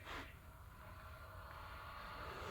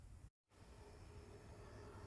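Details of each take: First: Xbox One S console at power-on: steady high whirring whine with faint rough edge at constant pitch; worn internal fan getting loud, to be replaced with a new fan. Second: Xbox One S after fan replacement: a faint, steady airy whoosh with no rattle, ticking or whine; the new cooling fan spins quietly and smoothly.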